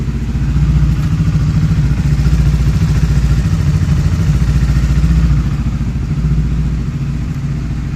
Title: CBR ticking sound inside machine issue